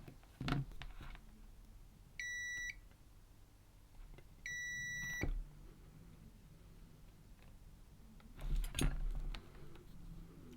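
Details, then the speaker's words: Zennox GC1006 metal detector with suspected seawater/battery corrosion on its single-layer board: multimeter continuity beeps, two steady high-pitched half-second beeps between probe clicks, as traces are tested; many traces found broken. "you can hear the meter beeping so every time the wires touch together it's going to beep"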